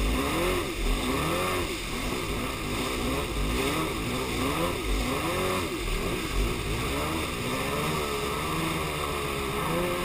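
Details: Yamaha Superjet two-stroke watercraft misfiring with an uneven, lumpy, wavering drone as if on one cylinder; began after refuelling, persists with fresh gas, compression even, both plugs look okay; owner suspects plug wires or ignition.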